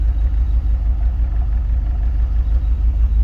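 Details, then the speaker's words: Jeep Wrangler idling while a bi-directional scan tool cuts one fuel injector: a lumpy, uneven beat about three times a second as that cylinder misfires. "You can hear it misfiring."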